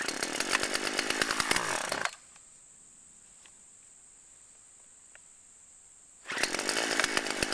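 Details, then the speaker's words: Chainsaw running on old stored boat and chainsaw gas blended with new non-alcohol fuel: screams at high revs with a crisp, even buzz, drops out, then picks straight back up cleanly. Normal running. "say fuel mixing was a success it's is running right fine sounds good"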